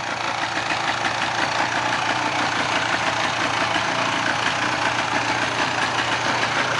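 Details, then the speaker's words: 1995 Polaris 400 two-stroke ATV revived from parts, freshly started and warming up: busy, steady rattle at even speed with no stumbling or dropouts; normal running, smoky from oil in crankcase. "It sounds good. So, let it sit here and warm up for a minute."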